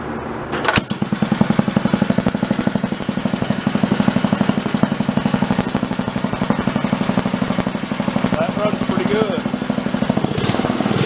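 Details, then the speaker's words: Wisconsin BKN single-cylinder engine fully warmed up after Fairbanks Morse magneto repair with temporary plug wire; crisp, even firing about four beats a second, no misses, running much better; owner suspects valve lash slightly loose. "Engine is fully warmed up. Yeah, that runs a whole lot better."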